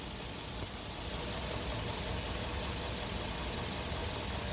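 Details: Kia New Carens 2.0 LPI engine, after spark plugs replaced, idling steadily with a low smooth hum and no stumbling; earlier intermittent misfire not appearing: normal idle.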